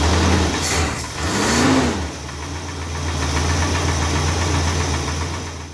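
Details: Freshly rebuilt Chrysler 440 V8 idling with a steady, fairly rapid top-end tick over the low rumble; owner suspects a noisy lifter or worn cam lobe, not the crank or big end.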